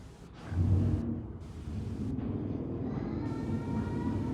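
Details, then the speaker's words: 1951 Haughton AC geared traction elevator, modernized by Anderson in the 1980s (4000 lb, 150 FPM, 3 floors): heavy uneven rumble with a faint wavering whine later; rough noisy running, cause unclear. "Feels like you're hitting the bottom. This thing is like actually kind of terrifying. God, listen to this thing."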